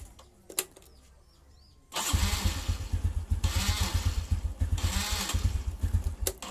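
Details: Honda Revo Absolute/Blade carburetor, starter switch circuit check with ignition on and a test lamp on the yellow-red wire: brief starter whir, engine catches within a second and settles into an even putter; normal.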